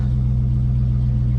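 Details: Deep, even V8 burble at idle from a Dodge at a dealer-only auction, low steady rumble with no ticks or misfires; sounds healthy, normal idle.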